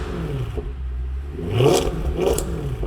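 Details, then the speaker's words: Mercedes C63 AMG 507 Edition Coupe naturally aspirated V8 after fixing three related engine issues: runs smooth right off idle with no shaking or misfire, and clean throttle blips rise and fall without any tick. "running smooth right off idle is good yeah no shaking it's definitely not is firing it's definitely not ticking the throttle response is ridiculous on these cars no tick at all"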